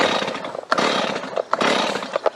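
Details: STIHL chainsaw on STIHL MotoMix 1:50 premix, run near full throttle until the tank is empty before a stored-fuel start test: high, busy two-stroke buzz with brief sharp spikes, running steadily.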